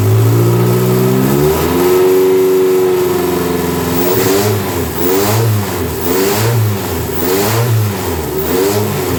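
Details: Dodge Daytona stock car, cobbled-together engine on first start with a booster, running on the stock computer, check-engine and alternator lights on: won't settle, surging up and down about once a second, hunting unevenly; blamed on the wrong computer, to be swapped for one with EGR/EVAP deleted.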